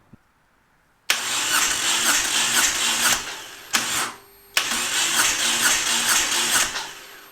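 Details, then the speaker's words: Moto Guzzi twin that left its owner stranded, suspected of running without oil, cranked on the starter with a compression gauge in the spark plug hole: even, strong pulses about two per second, no skipped strokes; plenty of compression on this side. "we're making all kinds of compression Ryan that's great news we'll check the other side just for integrity"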